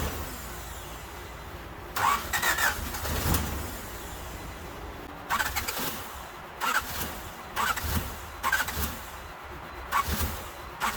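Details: 1988 Honda Civic Wagon after fuel spill cleanup: repeated short bursts of the starter spinning the engine over, each dying away without catching; crank no start, cause unknown, spark and fuel injectors to be checked next.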